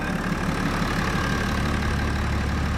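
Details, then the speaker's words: 2009 BMW 335d diesel just restarted after downpipes, exhaust, intercooler, EGR/swirl valve delete and DPF removal, covers off, ECU still to be pulled. A steady, deep, even idle rumble with no knocks or misses: normal idle. "She's running, guys. We got to pull the ECU on it, so we're gonna leave all the covers off right now. But all back together. Sounds like a diesel."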